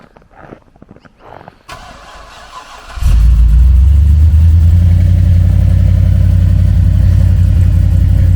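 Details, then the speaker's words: Very cold start at idle on the owner's car: brief cranking, then it catches and holds a strong, steady, even rumble without misses or knocks. Owner notes a little noise when cruising and plans to fit resonators. Normal cold start and idle. "Probably because it's still ice cold. Well, once it's got oil pressure, what more do you need? Yeah, no, that sounds good."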